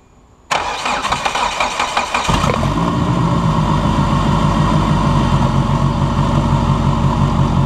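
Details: Budget race car project engine on its first startup after repeated fuel-leak fixes, microphone at the exhaust: a couple of seconds of uneven churning as it catches, then a steady, even idle with a firm low rumble; normal running.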